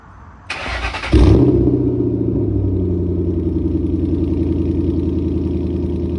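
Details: Lowered car after loosening headers and refitting cat-delete pipe, cold start: catches and settles into lumpy idle with rapid puffing tick like exhaust escaping at a joint; exhaust leak, later fixed.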